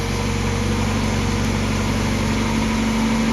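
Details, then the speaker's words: Mazda MX5 just after oil flush and change to Mobil 1 0W40, started after cranking with plugs out; loud idle with slightly uneven beat, running rough from fuel left in the cylinders during cranking. "reason I ran a bit rough is because there was a bit of filled in the cylinders from when I was cranking it"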